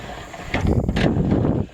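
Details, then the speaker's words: 1973 Chevrolet Camaro power window being lowered: short rough grinding scrape about a second long; regulator suspected to need greasing or adjustment. "There's a nice little sound there when you roll it back down, so you can hear that. Probably needs to be greased inside or adjusted."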